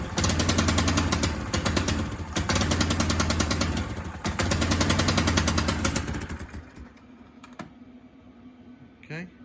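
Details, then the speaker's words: Kawasaki KLF300 Bayou 4x4 ATV, unstarted for 2 months, choke off: rapid uneven popping and rattling chatter as throttle opens, dying back to smooth idle; horrendous misfire off idle, owner suspects timing, plug, coil or lead. "So we're back to this kind of, sounds like a horrendous misfire when what? When it comes off of idle."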